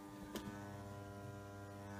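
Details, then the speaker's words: Servis M6011S washing machine on a 60-degree wash with only the cold hose connected: a quiet steady hum from the hot inlet valve, energised but getting no water, not the motor. Fix is attaching the hot pipe. "That's coming from up here. The water's turned on, so it sounds like it's not getting any water, which is funny. So it's not the machine motor, it's up here."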